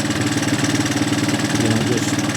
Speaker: Looks a lot better, though. She's smoothing out nice. Yep. She's uh she's waking up good.